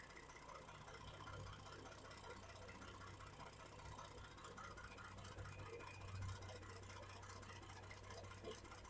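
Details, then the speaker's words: 2012 Ford F150 3.5L EcoBoost with 296k miles and random misfires, at idle with a new coil on cylinder 5: a quiet, lumpy pulse as cylinder 5 stays dead; owner suspects the PCM shut that cylinder off. "This is the new coil. Pop pop pop. Yeah, it feels like it feels like it shut that one off."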